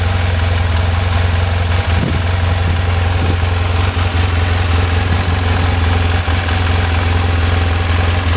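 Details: BMW F800ST twin idling with a steady low thrum and light irregular clatter, roughly two to three knocks a second; owner suspects piston slap, unconfirmed.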